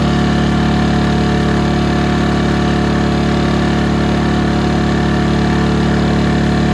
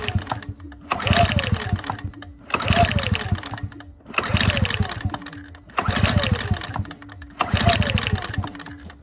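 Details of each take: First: Ryobi RYi2322 inverter generator with 0.1 hours runtime, after clearing a blocked carb jet: steady, even hum with a smooth low drone and no misses or knocks; runs cleanly at constant speed. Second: Ryobi RYi2322 inverter generator bought not running, fuel drained and refilled, choke on: five recoil pulls each whirring briefly with no firing at all; spark plug boot left disconnected.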